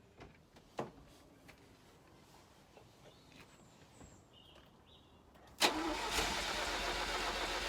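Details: 1983 Ferrari 308 QV after tightening a leaking right fuel tank connection, with a weak battery: quiet clicks, then loud laboured turning-over that never catches; slow cranking, no start, cause suspected.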